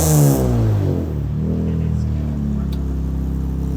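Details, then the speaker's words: J-series swapped Acura TSX, first start before tuning, with non-equal-length split exhaust; blip then quick drop to lumpy burbling idle, deep uneven note from the exhaust layout; normal revving. "I'm going to get behind it give it a couple revs oh it sounds good it definitely is"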